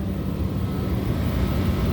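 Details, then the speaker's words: Large window-type AC unit, possibly two ton, cooling an old shop space, bare control wiring, line-voltage thermostat: steady low drone and constant hum, no knocks or rattles; despite being trashed it runs and cools, about 21-degree temperature split. "but we got to see I mean I can actually hear Refrigeration I can hear it cooling but it's just trashed I mean surprisingly this thing's still working"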